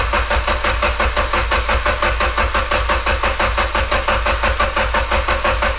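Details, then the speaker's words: Mitsubishi Evo X after MHI 18k turbo swap, fuel pump relay pulled, cranking 15-20 seconds to prime oil to turbo: steady, even starter churn with regular compression pulses about 1.5 per second, no firing; normal cranking without fuel. "All right, we're going to crank the car for like, I don't know, 15 to 20 seconds without any fuel to get the oil flowing to the turbo."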